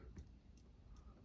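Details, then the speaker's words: Older Saga Crown Colony four-wood-blade ceiling fan on medium speed: nearly silent apart from a light tick roughly every 0.4 seconds, which the owner attributes to the pull chain, plus perhaps a little bearing noise; fan wobbles somewhat. "As you can hear, the only noise is coming from the chain."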